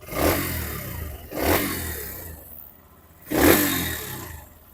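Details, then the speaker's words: Hero Xtreme 125R single-cylinder engine revved in quick throttle blips up to about 9000 rpm after a long ride; climbs and falls cleanly with no knocks or rattles, smooth and healthy, normal engine revving. "सुनी आपने engine की आवाज मतलब मैंने 9000 RPM तक में लेके engine को रैव कर रहा था हाई रविंग कर रहा था"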